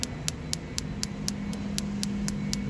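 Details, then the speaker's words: Coil-on-plug ignition coil bench-pulsed by a QDB 6A driver at 4 Hz, sharp, even snaps about four a second as it arcs through its casing; coil is faulty and still sparks. "You can hear it arcing there. It's arcing like buggery, that. It's totally faulty is that."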